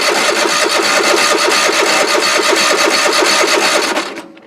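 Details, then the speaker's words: Toro riding mower started after sitting a couple of years, old gas, jumped battery, choke out: starter churns steadily about three turns a second but never fires; cranks, won't start, bad fuel suspected, not confirmed. "it'll crank all day long but i don't want to start so i guess we will find some spray and see if we can pop it off that way"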